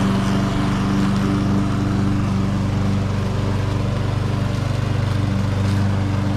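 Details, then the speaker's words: Troy-Bilt TB280ES lawn mower, discarded with dead start button: small single-cylinder engine holds steady even drone, no misses or knocks; runs okay though hard to start, possibly clogged carburetor needle. "It seems to run okay. It is a little hard to get started, but it's got that weird carburetor that has no choke and no prime."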